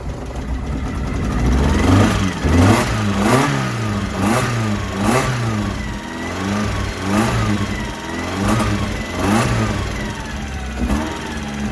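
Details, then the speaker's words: 1991 Mazda Miata 1.6 engine, overheated by the previous owner, started after oil was poured into the cylinders: uneven, lumpy revving with a wavering low drone, heavy smoke; owner says it needs a head gasket and believes the bottom end is good. "it started um it smoked a lot of it definitely needs a head gasket um but at least bottom end i believe it's good"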